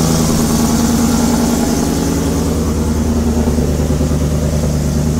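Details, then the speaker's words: Ford F150 Shelby Super Snake V8 with new headers, idling and revving; sharp puffing tick rising with revs from exhaust leak at header flange, supplied gasket too small for larger port, fix by V-band. "so let's get this truck started um sounds pretty dope besides the exhaust leak but it's here"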